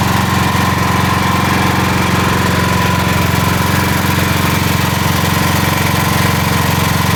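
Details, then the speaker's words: Building emergency standby generator running during June fire alarm and emergency systems testing, generator contactor engaged, fan running; steady, even engine drone at constant speed with fan hum behind it, no knocks or misses; generator sounds good. "Damper was already open, but the fan is running, the generator sounds good."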